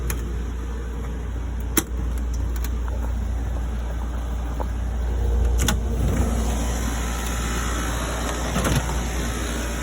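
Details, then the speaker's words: System 2000 oil-fired boiler with the burner cover removed: deep steady rumbling roar, no surging or pulsing; normal oil burner sound, like most other oil burners. "That's what pretty much everybody else's oil burner sounds like."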